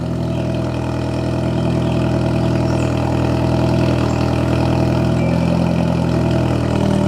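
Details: Idle just after installing an ISR Performance Series II EP single-tip blast pipe exhaust, possibly cold start: loud, deep, even idle with steady drone and no puffing or ticking from the joints; exhaust sounds sealed with no leaks.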